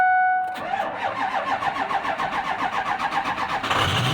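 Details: 2005 Ford F-250 6.0 diesel, head gaskets and head bolts done in 2018, cranked after the glow plugs cycle. A dash chime is followed by about four seconds of slow, uneven cranking at roughly 220 beats a minute before it catches. The owner suspects a fueling issue and notes smoke at startup.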